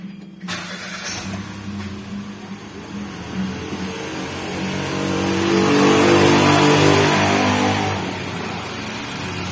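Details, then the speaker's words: Nissan March idling after replacing the leaking coil protector that caused misfiring and low power: the engine catches quickly, idles evenly and revs cleanly without stumbling, a smooth, healthy idle. "bisa kelihatan disini untuk mesinnya sudah sembuh ya untuk stasionernya juga sudah halus"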